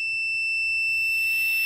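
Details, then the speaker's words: Adjustable normally closed QPM11 pressure switch as boost cut, tested on homemade boost leak tester with multimeter continuity buzzer: steady high buzz without break; switch responds very slowly, only opening around 17 psi on a quick rise and slow to make contact again, too slow to trust. "slow there so it's off to like ten psi but I can take this thing when it turns back on and it responds very very slow it makes contact again"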